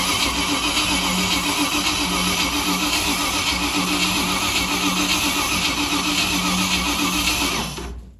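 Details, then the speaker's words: V8 winch challenge truck cranking with the coil-to-distributor lead disconnected: starter turns over steadily about four beats a second for seven seconds with no firing catch; cranks but no start, spark not yet checked. "We've got it turning over. Probably need to pull up the spark plug now. Let's see if we're getting spark, and we will come back to the live action when we've worked out if we're getting spark or not."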